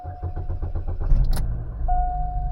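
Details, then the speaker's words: 2006 Chevy Cobalt with erratic idle, codes P0068/P0106 and random misfire: after a hard reset by disconnecting the battery, the engine cranks, catches and settles into a steady idle with the heavy misfire and chugging gone. "right now it seems to rev great it's not doing that chugging and all that kind of mess"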